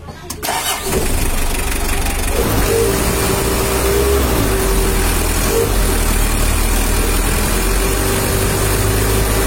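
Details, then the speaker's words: Mitsubishi L300 diesel after engine rebuild: cranks briefly, catches quickly and settles into an even, steady idle knock with no misfires or rattles; smooth sound, solid compression. "ya untuk suara mesinnya udah halus dan kompresinya padat udah-udah empuk"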